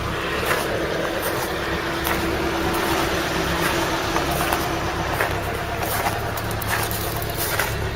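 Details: Classic car, heard outdoors from passenger side: steady even low rumble, no knocks or misses; idle sounds healthy.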